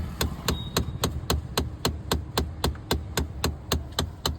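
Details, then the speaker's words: Mahindra Thar dashboard: steady sharp knocking about three or four times a second behind the dash as the AC vent flap motor overruns where it should stop; blend door actuator clicking, needs repair or replacement. "वो flap है वो जो है कहीं पे ढंग से बैठ नहीं रहा है जहां पर तक उसको घूमना चाहिए वो फ्री हो गई है शायद वो मोटर घूमते जा रही है घूमते जा रही घूमते जा रही है और वो आवाज आ रही है"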